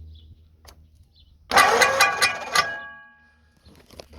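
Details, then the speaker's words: 59AB flathead engine cranked over, first turnover; short crank with sharp ringing metallic clanks over the starter churn; a bent fan blade catching on something. "yeah what's the fan hitting shouldn't be hitting anything something hanging down I think it's just the sound of the fan go again I hear H something"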